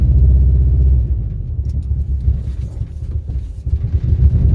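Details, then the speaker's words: 2003 Subaru WRX rally build on first test drive: uneven low rumble that sags and stumbles as the throttle lifts at low speed; misfire and near stall on lift-off. "As you can hear there, it almost dies."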